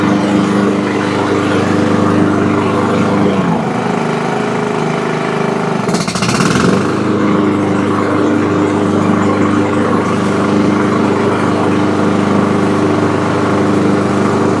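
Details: Toro Super Recycler mower with blade brake clutch, after replacing belt, bearings and pulley for loud noise with blade engaged: steady, even drone with smooth blade drive under load, no squeal or grinding; normal blade drive running.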